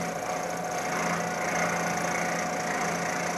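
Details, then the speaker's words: Milling machine climb-milling pass with a large cut, deliberately close to breaking the end mill: harsh rough cutting roar with steady buzzing tone as the cutter chatters. "I'm making a pass now using climb milling and taking a large enough cut so that it will be very close to breaking the end mill."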